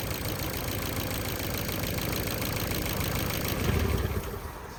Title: Ford focus 2012 1.6 petrol ticking noise and vibration when idle, also got loss of power